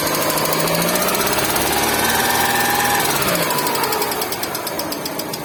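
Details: Hyundai Getz engine with a sharp, ringing metallic knock ticking steadily over the running engine, about three per second. Engine knock of undetermined source.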